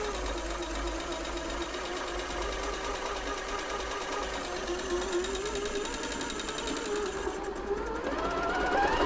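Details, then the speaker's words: Janome Atelier 6 sewing machine during service, after WD40 behind the hook: quiet steady whirr with a faint light tick each stitch cycle. Owner suspects the hook, says it is harmless, and is still trying to lube it away. "one of those little sounds that drives me nuts if I can stop it I'm going to stop it if I can't I can't it's not harming the machine at all it's just getting on my nerves"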